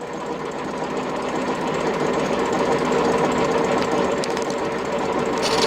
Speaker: And the old blades are just finishing spinning round now. You can hear them clanking on the bottom drum.